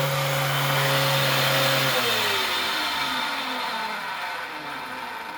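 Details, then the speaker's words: 2004 clutchless, belt-driven Dyson DC07 upright vacuum: a rough, harsh motor roar with a strong low hum that drops in pitch after two seconds. The brush roller has no play, so the cause is unknown. "there's no play in the brush roller, so I'm not sure why it's so obnoxious. Because, yeah, that's ridiculous."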